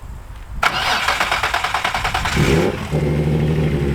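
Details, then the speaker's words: Nissan hybrid, engine already half warm: short crank under two seconds, then it fires and settles to a steady even idle; starts better than before, when it took longer. "It sure does start better. But it was half warm already as well. It took a bit longer to start before."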